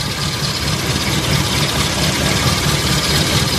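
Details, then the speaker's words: Four-cylinder petrol car at rough, lumpy idle with uneven low thumps; unplugging plug 4 leaves the sound unchanged, so cylinder 4 is dead from a failed spark plug or broken plug lead. "Nah jadi kan suaranya pincang kita coba cabut satu-ke-satu tak berfungsi Agar kita tahu Suci mana yang menyebabkan mobil ini bincang"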